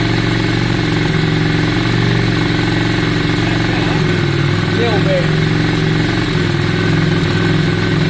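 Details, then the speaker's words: 2002 Yamaha Virago V-twin after carburettor cleaning, tank clean and fuel primed; steady, even idle with smooth low thump, no misses or hunting, sounds much better. "Yeah, it does seem better. Yeah, it sounds much better. Much better. Sounds much better, guys."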